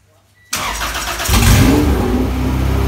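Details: Engine in the Honda EG hatch project, from a flipped-over Integra. Restarted after swapping the oil pressure sensor to chase an oil leak: fires and settles into a steady, deep idle with no knocking. It runs healthy, but it still leaks oil and the owner suspects the head gasket.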